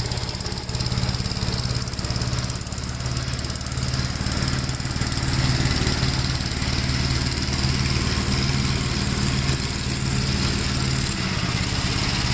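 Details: 1957 Gravely with a smaller 12-volt battery fitted, mowing soaked grass: an even single-cylinder chug holds its speed under load with no misses, knocks or bogging. The engine pulls healthily and cuts with power to spare.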